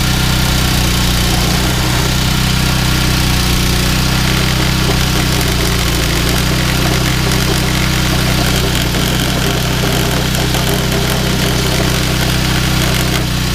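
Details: Yardman 21" snowblower 31A-285-452 with 5 hp Tecumseh engine, sat for years, cold start after new belt: steady even small-engine chug with constant low drone, no misses or knocks; runs healthy.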